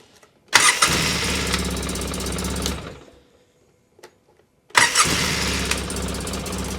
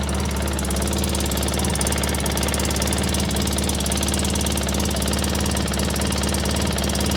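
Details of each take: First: 2003 Polaris Sportsman 600 ATV after cleaning and greasing parts: catches instantly, smooth steady idle, shuts down, restarts cleanly; runs fine, though a cracked exhaust Y-pipe leak was found afterwards. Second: 2003 Polaris Sportsman 600 ATV idling just after the starter fix: sharp rapid ticking in the exhaust note, with air felt at the head pipe from a cracked Y-pipe, which may be contributing to it not warming up well.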